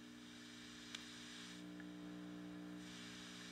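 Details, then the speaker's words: Heathkit IT-12 signal tracer, speaker output at full volume: steady low buzzy mains hum at constant level, not from the amplifier; insufficient power supply filtration after the selenium rectifier, even with the prescribed capacitance. "you overdrive it you'll get a hum feedback like that but you hear that Full Tilt so the problem is on insufficient filtration even using the prescribed amount"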